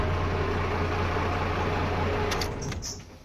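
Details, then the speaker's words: 1996 Dodge 2500 12-valve Cummins diesel, 181,000 miles, after starter rebuild, starter relay swap and battery terminal cleaning: deep even idle rumble, no misses or knocks; healthy. "181 000 original miles on this look at that boom sounds good"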